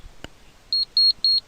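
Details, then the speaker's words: Energia Italy gas changeover switch self-test during diagnosis: after a click, four short high-pitched buzzer beeps while all LEDs blink; the switch and buzzer test as OK. "You will see that all the LED of the switch are blinking and it is also beeping. Okay, so you have to see that all LED are blinking and that the buzzer is playing the sound."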